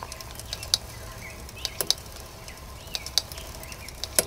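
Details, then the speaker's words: Mountain bike rear wheel pedaled after a crash: sharp light click about every 1.2 seconds, once per wheel turn, even when coasting, from a bent rear disc brake rotor; fix is truing the rotor. "you hear that it goes click click click click click click okay so that's that clicking noise that you hear and again this happens even if you're not petting"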